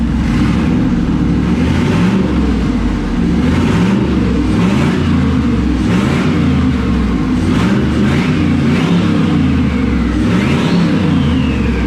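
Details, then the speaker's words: Twin-turbo LS V8 swapped into a Foxbody, first start after the turbos were installed, untuned, 50 psi oil pressure: loud V8 idling with quick clean throttle blips and crisp turbo whoosh on the revs; the engine runs smooth and healthy. "Oh, golly. Does that sound fucking good? Got them nice crisp turbo noises now."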